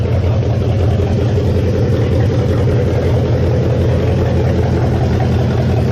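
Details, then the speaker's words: 1969 Mustang V8 first start after sitting, electric choke not yet hooked up, oil burning off the top of the motor. Deep, loud, even rumble at a steady idle with no misses or knocks; no smoke, good compression. Healthy. "oh my gosh that was loud at least it's not SM oh man this thing still there's a lot of oil on top of the motor that's burning off right now but dang this thing does not smoke can tell has plenty of compression"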